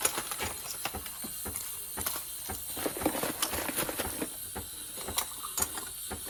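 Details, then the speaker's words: Breville espresso machine steam wand running after filling with water and switching on the steamer: irregular hissing steam with soft clicks and sputters; the owner notes the clicking noise heard earlier; steam delivery is normal. "there's water in there pick up some water in here turn on the steamer here's the tool for it"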